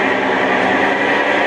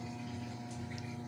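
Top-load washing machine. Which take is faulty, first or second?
second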